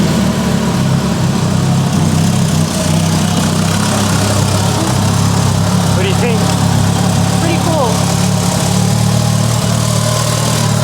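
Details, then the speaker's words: Mitsubishi Evo 8, first start after restoration with new ECU: smooth constant idle with steady low hum, no knocks, ticks or hunting; normal healthy idle. "soundss healthy and mint just listen to her"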